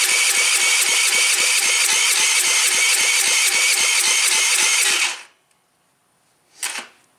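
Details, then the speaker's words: Tao Tao engine being reassembled for a neighbor's son, muffler off, carb plugged, choked, starting fluid tried: starter cranks evenly, about four pulses a second, for five seconds without catching; crank no start, suspects valves or cam timing. "Well, looks like I need to do some more digging and find out what's going on."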